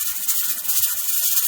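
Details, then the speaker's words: Pressure canner: loud, continuous sharp steam hiss as the rocker weight rocks; the gauge shows about 12 psi, slightly high, so heat is being lowered a little at a time to settle the rocker at the correct pressure, which must stay above 10 psi. "so this pressure counter has started hissing and rocking at me so you can hear it it's quite a loud noise so this i can see on here that it hit about 12 pounds so i need to drop my pressure just a tiny bit at a time to try and get this rocker"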